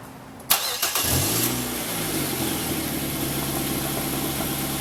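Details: 2008 Mazda 5: the starter whirs briefly, then the engine catches and flares before settling into a steady, even idle.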